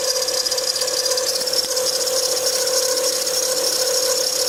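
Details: Acura TL 2007 Type S at idle: constant high-pitched squeal with fast dry rattle from belt drive, caused by bad belt tensioner pulley bearing.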